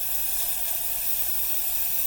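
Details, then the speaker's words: 1982 La Pavoni espresso machine, refurbished and fired up for the first time, pressurestat cutting out near 1.15 bar: smooth, even hiss as false pressure is vented through the steam valve, no sputter; normal steam venting. "so we're letting steam off right now so this is what would be happening if you were actually steaming milk"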